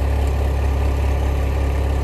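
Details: Renault Mégane rejected at technical inspection for exhaust fault, after exhaust repair: deep, steady idle with even low drone, no ticking, puffing or rattling, no leak or heat-shield tapping; normal idle, then passed inspection.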